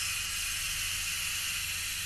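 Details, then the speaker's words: Trailer tire-inflation air system: constant sharp high hiss with no rhythm at the electronically regulated valve manifold; owner believes the regulator is leaking, cause unconfirmed. "So now, what's leaking is this regulator. This is the regulator up here, I believe."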